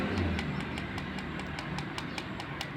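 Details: Honda Scoopy-i scooter idling, oil run dry, sharp metallic ticking about five a second over low engine rumble; cam chain tensioner not pushing, tensioner replacement planned.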